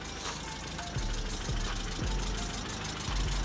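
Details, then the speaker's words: Fiat Punto from an auction, rough idle with dull, uneven taps roughly every half second over a low hum; the engine was loud and ticking. No oil on the dipstick: ticking from a low oil level. "i pulled over obviously i parked up the fear punto you heard the engine was a bit loud uh just checked the oil and there was absolutely nothing on the dipstick"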